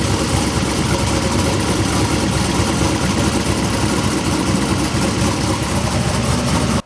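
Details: New V8 started for the first time since four passes at TX2K: loud, lopey, steady idle; the light knocking is the belt tensioner hitting itself; good oil pressure, no breather smoke.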